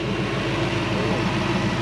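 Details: Supercharged Toyota 1UZ V8 swapped into a Hilux ute, early start-up: steady, even low idle with no misses or knocks; sounds healthy.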